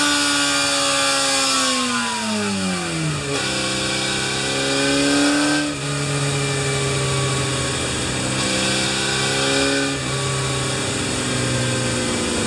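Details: Kawasaki Z1 after engine overhaul, bored to 950cc, stock cams, fitted with CR-M29 carburetors during setting-up (made 89 ps): crisp four-cylinder revs rising and falling in repeated blips, clean pickup and even return; healthy, well tuned.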